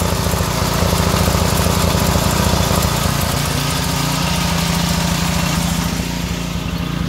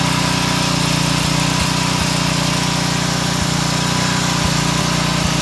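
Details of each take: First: Pressure washer's small single-cylinder engine running on vegetable oil instead of motor oil, a little warm; fast uneven chugging idle with occasional stumbles, perhaps a slight miss; sounded somewhat like this before, no smoke. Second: Pressure washer engine running on vegetable oil instead of motor oil, warmed up after a few minutes, with no smoke: a steady, even drone at governed full throttle with no knocking or surging, sounding smoother.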